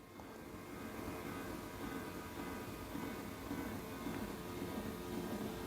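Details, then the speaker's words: Electric height-adjustable desk lowering from its 118 cm maximum: soft, steady, even low hum with no grinding or knocking. Quiet, healthy lift motor. "แล้วกดลองลงลองสังเกตนะครับว่าเสียงดังมยไม่ดังเลยนะเบาๆนะ"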